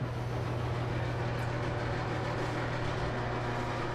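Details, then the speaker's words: Bosch Nexxt DX washer WFMC4300UC/01 showing red E04 error on drain cycle: low steady droning hum with rough, gritty undertone, like gravel in the pump; bad drain pump, pump (00436440) replaced. "fortunately my pump sounds awful as you guys heard it sounds really rough so I'm guessing it's probably pump"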